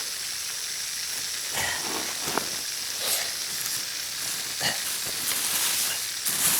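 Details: Drip irrigation line with water on: a steady high-pitched hiss with a few handling knocks, like water escaping under pressure; possibly two leaks whose location is hard to pin down.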